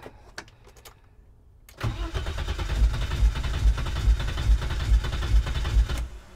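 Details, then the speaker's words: 1987 BMW 325i (E30) being revived: starter spins engine with even, slow chug about two compression beats a second, never catches; cranks but no start despite spark, fuel and air; crankshaft position sensor suspected, unconfirmed. "what are we missing we have spark we have fuel we have air"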